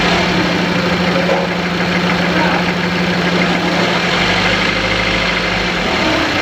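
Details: Engine with number 1 cylinder not working, knocking/jerking, throttle valve not opening: uneven idle beat shifting partway as the accelerator is pressed and held; misfire with rough running, cause not confirmed.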